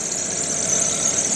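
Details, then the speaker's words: 2013 Chevrolet Spark at idle just after new coils and spark plugs were fitted and the check engine light cleared: steady, even idle with a hissy top end and some squeaking belts, no missing or skipping; runs okay. Before the repair it lacked power. "it's running got some squeaking belts but it appears to be running okay it's not missing or skipping doing anything out of the"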